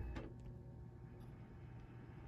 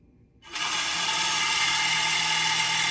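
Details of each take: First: Dell OptiPlex 790 SFF after replacing the broken CPU blower fan, which used to scrape like a saw blade: quiet, steady low hum with no scraping or screech; normal blower fan running. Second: Dell OptiPlex 790 SFF at power-on: loud, harsh, steady screech with high hiss for five seconds from the failing Foxconn CPU blower fan, later replaced with a Delta fan; failing CPU blower fan screech.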